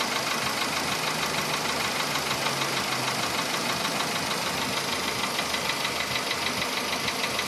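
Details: VW Polo Sedan engine at idle, now 67,000 km: a crisp, even, loud knock about three per second; it appeared barely noticeable around 61–62,000 km and has sharply intensified; the source is undiagnosed.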